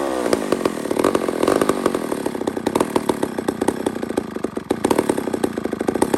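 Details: Old McCulloch 1-71 two-stroke chainsaw after a carburetor upgrade with a new adapter: steady burbling idle with a crisp, even firing beat and no stumbling; runs cleanly.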